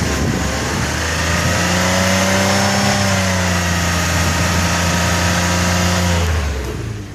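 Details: Rebuilt salvage-title 2007 Pontiac G6 convertible, almost 100,000 miles, clean oil, slight air escaping into the coolant bottle: smooth, even rev that rises, holds and drops back cleanly with no knocks, misses or rattles.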